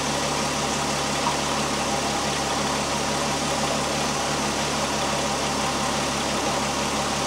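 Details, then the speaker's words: 2001 Volkswagen Jetta GLX power steering pump after bleeding air from the system, engine idling while wheel turned lock to lock: steady quiet idle, no whine or groan, reservoir fluid clear without bubbles; normal power steering pump. "the pump right at this point is nice and quiet right now I don't see any Bubbles at all crystal clear"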